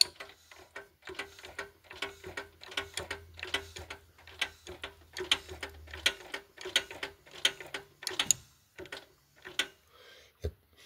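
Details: Honda Accord engine, timing chain tight, turned slowly by hand with plugs removed from cylinders three and four: sharp metallic clack on each rotation. Owner suspects a detached valve seat ring stuck to a valve. Valve train clack, not confirmed.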